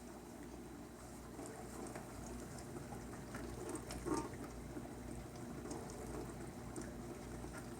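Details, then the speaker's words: New KitchenAid KDTM384ESS windowed dishwasher, rated 44 dB, running a wash; soft, steady swish of water spray over a low hum, even and quiet, a normal wash cycle. "it's running now I can actually hear it going"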